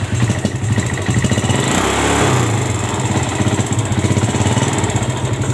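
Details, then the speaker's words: Yamaha Vega ZR single-cylinder idling, white smoke and rough engine: quick uneven metallic rattle loudest at the front; mechanic suspects worn loose piston or camshaft play, as this camshaft has no bearing at its end. "Ia juga suara ngeledek di bagian dalam ini suaranya sih mirip di bagian Hai Kayak dibagian depan yaitu seputar piston mungkin sudah terlalu longgar tetapi juga bisa karena noken as sudah mulai kocak"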